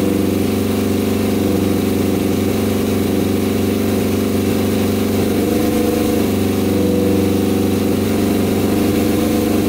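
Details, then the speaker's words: Custom Yamaha Banshee quad, twin two-stroke tuned to about 100 hp, fuel now filled manually; burbles at steady idle and revs up high, cleanly and crisply with no misfires: normal idle and revving. "all right this thing sounds insane oh my god this thing is going to fly you guys hear that thing holy cow"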